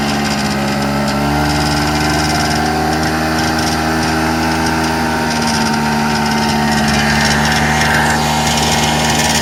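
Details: 1994 Polaris Xplorer 300 4x4 after top-end rebuild: single-cylinder idle with raspy buzz at certain RPM ranges and on decel, with or without primary clutch, driving or stationary; nothing obviously rubbing; source unclear.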